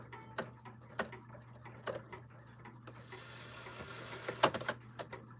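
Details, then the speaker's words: Clock strike train: rack bounces and sometimes skips, strike doesn't count properly and shuts off roughly instead of locking cleanly; sharp irregular ticks and clacks with soft hum; adjustment planned. "Then, as you can see, it actually locks up. It doesn't actually do a proper count here, and it shuts off very rough, which it should not be doing."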